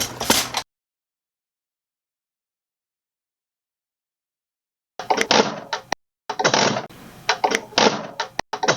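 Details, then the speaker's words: 1999 Mack E7 E-Tech injector (owner reported a misfire) on a pop tester with calibration fluid: quiet gap, then crisp hissing chatter bursts each pump stroke; opening pressure, spray pattern and chatter all correct, a normal injector. "one's got a little bit higher opening pressure, and it's kind of hard to capture it, but I can tell you that the opening pressure is correct, spray pattern is good, chatter is correct."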